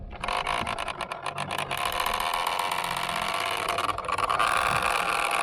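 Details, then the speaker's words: Minn Kota trolling motor steering gear case, steering works to one side only (owner believes left fails); harsh, rough grinding whir with strained high whine. "It's making an awful noise and it's not working. It's working to one side, but it's not working to the other side."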